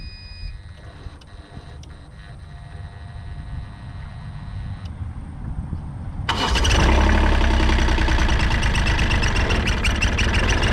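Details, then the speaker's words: Caterpillar 301.5CR mini excavator diesel at its 750-hour service, started after an oil top-up to circulate oil and check the level: fuel system reprimed with a few seconds of quiet clicks and hum, then it fires and settles to a steady, even idle; normal start. "Has to reprime the fuel system."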